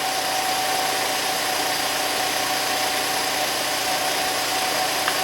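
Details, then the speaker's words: SEAT Ibiza after engine refit, idling after a cold start: even, unchanging idle with a faint steady hum, no ticks, knocks or hunting; good idle, only slightly low on oil. "So I'm just going to start this now from cold and let's see how we get on. Need a bit of throttle. Now I reckon that's good."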